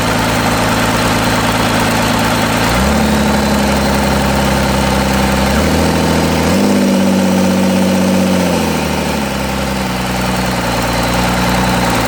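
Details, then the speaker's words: Cummins diesel for C40 truck build, after reassembly: loud idle with uneven stumbling beat and wandering speed suggesting a miss; owner suspects cylinder 5, compression a little low around 325; rough running, misfire. "I feel like it's got something to do with cylinder 5. I did compression test it, and it was a little low on compression."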